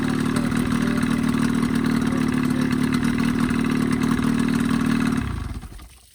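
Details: Evinrude 20hp modified to 25hp two-stroke outboard after full service (head cleaned, new thermostat, gaskets, primer seals, reeds, propeller), previous coughing lean sneeze fixed: even steady buzz, no misses or surging, clean shutdown; running normally.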